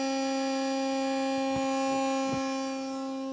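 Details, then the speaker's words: Battery charger/maintainer on a cold January day, headlights on for load: loud whistling drone whose pitch sags and wavers; a fan going bad that dislikes the cold, fine once warm, bearing noise. "I have a fan going bad. It doesn't like the cold. I don't know if you can hear that. That thing sounds terrible."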